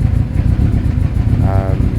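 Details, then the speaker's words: Owner's motorcycle with a genuine Blue Flame exhaust: a deep, even twin-cylinder burble blipping up and settling back with no knocks or misses, a healthy crisp exhaust note. "it's genuine blue flame exhaust it sounds amazing we know that that sounds great we've heard that quite a lot"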